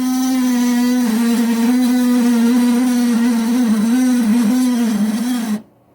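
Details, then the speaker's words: Older Kenmore model 610 garage fridge: a loud, wavering low groan drones steadily and then cuts off, from a failing freezer fan motor that is then replaced. "yeah well ours does that every now and then and i've affectionately nicknamed it zuul from ghostbusters so i'm going to teach you how to uh replace the motor that's back there so that it doesn't do that anymore"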